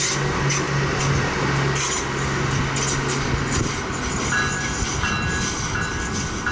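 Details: SMART train no. 113/114 passing near Cotati, California: a loud, steady, high-pitched screech over wheel rumble and grinding. Unclear whether this is normal.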